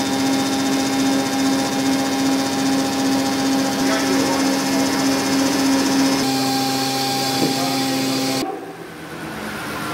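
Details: Larger hydraulic gear pump (a motor run as a pump, clockwise) on a test bench: loud, steady whine with strong low hum, normal, without the weird noise the customer heard.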